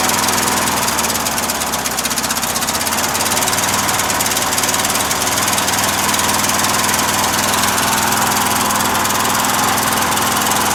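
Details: Briggs opposed-twin engine with Nikki carburetor, on choke, battery probably weak: harsh, loud pounding about four beats a second, running rough and uneven; runs too rich, owner suspects incorrect float levels or worn gaskets, fuel pump leaking fuel.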